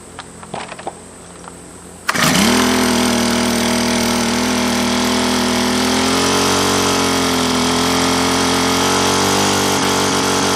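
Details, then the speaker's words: Honda GX25 (HHT25) small four-stroke just rebuilt with new piston, cam, timing belt and valve job for a compression problem, started on half choke at gentle throttle: fires after a few pulls, settles into a steady, even, smooth buzz; running normally. "So we aren't going to want to give it full throttle right away. That new piston has got to be able to seat inside of there."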